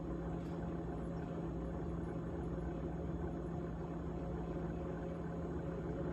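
Steady low hum with a constant fluttering buzz riding on it throughout; the running fridge has a rattle of unknown origin.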